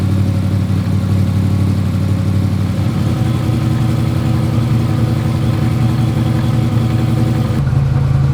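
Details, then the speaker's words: Dodge Durango just fitted with a new Hemi engine. Firm, even low rumble at idle with a brief rev and no knocking. It starts, runs and has good oil pressure; normal running. "Starts, runs, has good oil pressure. So we think we're good."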